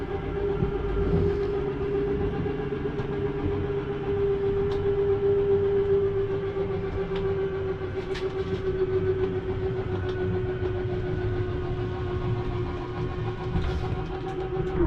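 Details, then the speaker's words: 2022 Jayco Jay Flight Bungalow 40LOFT slide-out retracting: steady even motor drone about fifteen seconds then a soft clunk as it seats; brief end noise is normal, don't hold the button. "just don't worry if you hear that noise for a second or two just don't stand here with your finger on the button listening to it"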